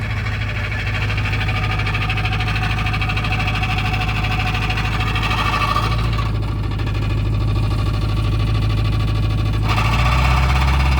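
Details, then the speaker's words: Petrol car started after four years off following a transmission swap, idling while transmission is filled: loud idle with coarse, buzzy exhaust rattle over low drone; exhaust still to be fixed. "up CH D that car in years cuz I had to do a transmission swap on it that's the exhaust that you hear just trying to get the transmission filled"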